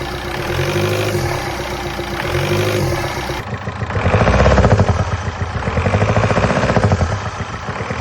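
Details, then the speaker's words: VW Golf diesel after a new camshaft, lifters and timing belt, first run before coolant is added. Even diesel clatter with light blips, and the previous awful knocking is gone. Normal idle. "It seems to run okay."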